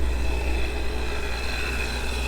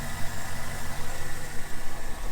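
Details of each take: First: ProCharged automatic Chevy Corvette with 37,000 on the clock, heard outside: two sharp revs with supercharger whine climbing and falling, plus rushing hiss of boost escaping from a blown charge pipe that kicks up dirt. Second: Corvette at auction walkaround, check engine light on, started right up: steady, even smooth idle with no misses, stumbles or knocks; engine sounds healthy, though a wire loom is missing.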